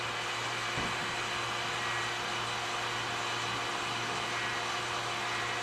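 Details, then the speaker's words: Vacuum bagging while epoxy cures on a carbon fibre Kawasaki X2/SX pump stuffer: steady pump drone under a constant airy hiss that never settles; major air leak into the bag. "i got a leak somewhere folks i've got a major amount of air leaking in fortunately i can hear it"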